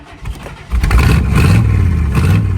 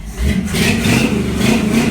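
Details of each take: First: 1955 Chevy started with the mufflers cut off and exhaust manifolds open, one only slightly open because the heat riser doesn't fully open; exhaust already had many holes. Loud, deep, raw unmuffled rumble: exhaust leak. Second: 1955 Chevy at first fire-up with new exhaust: a deep, even rumble rising smoothly with throttle, no rasp, blow or rattle; a normal exhaust note, though the throttle sticks because a return spring popped off.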